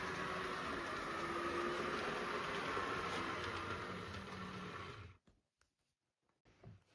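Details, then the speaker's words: Atlas model train locomotive with all-wheel drive and a metal chassis: a soft, even motor whir that starts right up, with no rattles; runs smoothly and quietly. "Starts right up. And it's not super duper loud."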